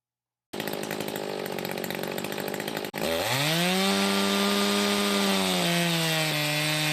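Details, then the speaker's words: Echo 590 chainsaw with used 620 cylinder, muffler mod, timing advance key and swapped carb fuel nozzle, at full throttle after dyno: crisp high steady two-stroke scream climbing quickly then holding even pitch, no four-stroking; healthy. "all right so we got this fresh off the dyno I said it has a nice healthy exhaust note to it now not too crazy"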